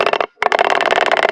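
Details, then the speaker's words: DIY lat pulldown pulley under about 45 lb: a rapid rattling chatter, roughly a dozen clicks a second, as the cable runs over it, also felt through the cable. Pulley chatter under load. "You can hear it chatter, but also you can feel it chatter, which is really annoying."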